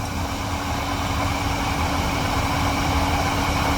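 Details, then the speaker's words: Rear differential heard with wheels spinning: a loud, steady growling hum, first suspected as a wheel bearing, from bad differential bearings; transfer case also found bad. "hopefully you can actually hear it, but it's really, really loud. This differential's bad. The bearings are going out of it."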